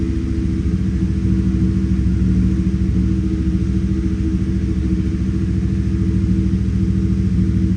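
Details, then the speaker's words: 2018 Chevrolet Silverado V8 at idle after injector swap, scanner live data showing misfire on cylinder six (cylinder three also flagged), MAP sensor code present: lumpy, uneven idle with occasional stumble; cause suspected beyond the injector, unconfirmed. "Okay, misfire. Cilindro seis, miren. Me sigue marcando. Puede ser que cilindro 6."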